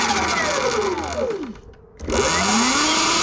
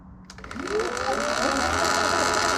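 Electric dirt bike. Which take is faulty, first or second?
second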